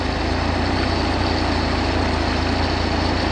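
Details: Chevy 250 inline six running after fixing reversed distributor firing order, idle being adjusted clockwise toward about 650 rpm: low, smooth, even idle with steady beat, no misses or knocks.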